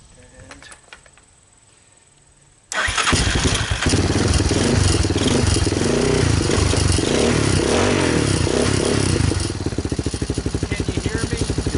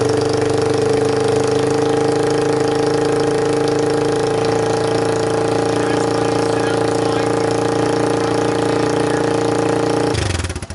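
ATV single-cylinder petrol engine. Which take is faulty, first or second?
second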